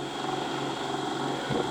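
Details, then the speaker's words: Ferguson 3V36 VHS recorder (JVC-made front-loader), motor running on play: constant buzzing hum with a rough, wavering drone and vibration; noisier than before, owner suspects the motor is bent as it wobbles. "but with that motor being as noisy as not really much point prototyping press play and just steer that motor i'm sure it weren't making as much noise as that before but you can feel it vibrating"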